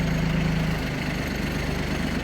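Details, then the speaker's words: Kubota Aste A-13 mini tractor diesel, 756 engine hours, started after the glow-plug lamp went out and starts perfectly; idling while the tiller is hydraulically lowered and raised: even, steady chugging, no knocks or misses; normal idle. "Трактор заводится идеально."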